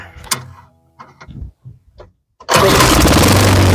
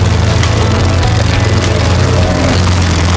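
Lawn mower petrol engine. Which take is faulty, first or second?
second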